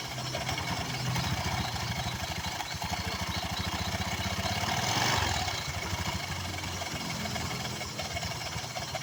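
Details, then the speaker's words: Newly bought Honda Vario scooter idling, rough fast rattle of two to three beats a second from the CVT; clutch assembly does not spin freely and drags, pulley also found wobbly and off-centre. "ya kampas Ganda ini tidak bebas motornya teman-teman ini Seharusnya dalam keadaan lolos ya Nah ini Ini dia terhambat ya"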